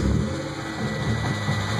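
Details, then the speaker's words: Engine idling after adding half a pint of Seafoam motor treatment: steady low idle with an even light tapping on top; lifter tick persists, and lifter replacement is planned. "obviously you still hear that lifter tick I'm sure"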